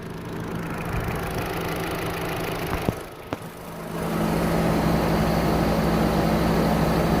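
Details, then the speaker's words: 2005 Chevrolet Astra that overheated with only one radiator fan working, after replacing a fan relay, idling near 210°F: steady rushing whoosh swells in as both cooling fans switch on and temperature drops. "ahora si funcionan ambos ventiladores la temperatura comienza a bajar"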